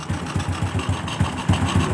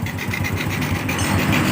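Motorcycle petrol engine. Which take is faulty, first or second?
second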